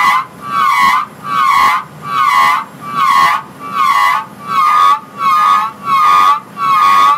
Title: (Curmit) Draw works brake noise